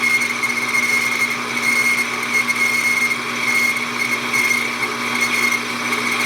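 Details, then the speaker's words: Hobby lathe boring a hole in a model Stirling engine part, at about .485 aiming for .505, feed slowed: steady high-pitched squeal over machining noise, boring bar chatter; finish looks good, slower spindle may be needed. "Quit squealing. Finish don't look bad though, even though it's got a little bit of a chatter going in and out."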